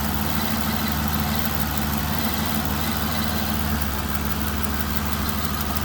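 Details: 2009 DB9 at idle with sharp, irregular snapping ticks and a stumble, a cylinder 6 misfire with each tick, stopping above about 900–1000 rpm; the cause was high-voltage sparks arcing on the RHS inlet manifold, fixed by replacing the #6 ignition coil.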